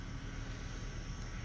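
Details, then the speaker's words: Rewired replacement fan in a Coleman cooler, mounted tilted, on quick-connects, recorded with the truck engine off: a soft, steady whir with a faint constant hum and no ticking or scraping, the repaired cooler fan running normally. "Now I got the truck off, so sounds a little bit noisier than normal. But yeah, a little dusty. But yeah, finally, it's working."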